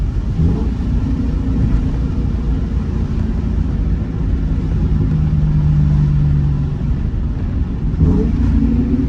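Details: 2003 Ford Mustang GT under acceleration after new MSD coils and spark plugs cured a bad misfire: deep, smooth rumble pulls through the rev range without stutter or misfire over road noise; healthy.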